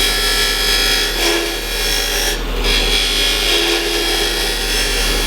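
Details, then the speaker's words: Wood lathe cut on dense end grain: loud rasping with a harsh buzzing chatter as the tool takes almost a quarter inch of blade at once, easing off when feed pressure is reduced; tool chatter from overfeeding. "you can hear it start to chatter as it's trying to cut, you know, almost a quarter of an inch of the blade here. You hear that? It's just too much material. It's trying to take off at once."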